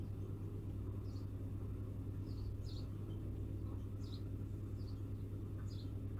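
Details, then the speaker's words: Peugeot 307 1.6 petrol after replacing the ignition coil (its cylinder 2-3 circuit opened when hot) and an injector, errors cleared, warming up: low, even idle with nothing irregular, running well with no errors. "Так, ошибок нету. Так, двигатель работает хорошо."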